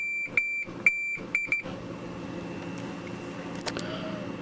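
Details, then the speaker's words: Multimeter continuity check along the shielding strips of a Farfisa O.R. 200 amp's reverb area: a high beep chirps in broken bursts, then cuts out where nothing joins the strips. Intermittent continuity in the shielding. "it's much better we kind of lose it in here so that's probably not so good"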